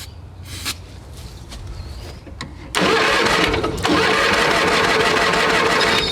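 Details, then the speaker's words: A tractor that sat all winter, cold-started on a GoldenMate 12.8 V 20 Ah LiFePO4 battery in a jump pack, cranks loudly at a regular beat but won't fire. The cause is unconfirmed; the owner plans to remove the cover and spray two-stroke fuel in. "Wow, she really don't want to start. We may have to take the valve, the cover off."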